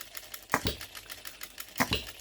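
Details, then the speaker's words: OKMO Retrol B02 miniature petrol hit-and-miss engine on shellite, very first start, straight out of the box with no adjustments: two sharp firing pops about 1.3 seconds apart with light valve ticking while coasting; hitting and missing normally. "Listen to that hit and missing. I'm so pleased with this."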